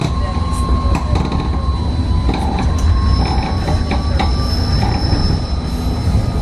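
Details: BART car 3078 rolling near West Oakland station: heavy low rumble with thin steady high wheel squeals and intermittent loud creaks; source of creaking unclear.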